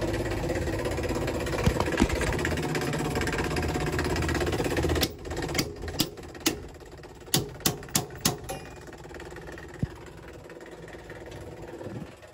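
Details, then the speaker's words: Buderus GB142 boiler showing error C7, no heat: the running circulator pump makes a rough, uneven hum with scattered sharp clicks; the pump is shot and was replaced. "pump don't sound too [Music] healthy she's running sounds like this Circ is cut"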